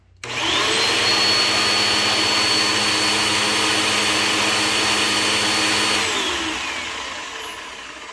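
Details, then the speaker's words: Bissell CleanView Bagless 8990 upright vacuum after assembly, run on medium: high, steady whine with a rough rushing note, then winds down. Unusual motor sound, not like an old 12-amp Bissell; brush roll may be rough, motor possibly replaced. "That sounds weird. That doesn't sound like a CleanView. That's so weird. It doesn't sound like an old 12 amp Bissell."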